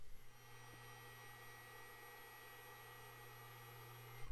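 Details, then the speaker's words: Drobo 5D storage enclosure bought used, just powered up; a quiet, constant low buzz with steady pitch and no rhythm, not normal. Owner suspects one of the hard drives is failing, not confirmed. "know that buzzing that is not a hundred percent normal so I think one of the hard drives is naked"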